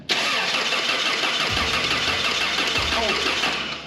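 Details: 1985 Toyota Sunrader RV, first start of the newly installed replacement engine. Long, uneven cranking with a loud whirring starter and no firm catch over four seconds; the fresh engine is slow to fire.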